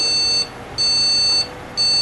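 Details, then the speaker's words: Gigabyte GA-945GCM-S2C motherboard with customer CPU swapped for a known-good one: repeated long beeps with no video output; likely faulty RAM, to be confirmed by swapping in a known-good memory module. "Veja que são vários bips repetidos e não tem imagem, porque a televisão está ligada aí, ó. Então outro sintoma, ligou, bipou, mas ficou com bips repetidos, provavelmente é a memória que está ruim."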